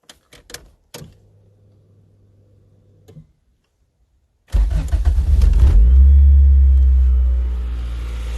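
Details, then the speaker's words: 1988 Honda Accord, first start after rebuilt 1992 GSR cable transmission and engine bay repaint: a few clicks and faint hum, then cranks, catches quickly and settles into a smooth steady idle; coolant lines still need burping; sounds a lot better. "there we go got to burp the coolant lines or not cool in line but that's about it shiny sounds a lot better"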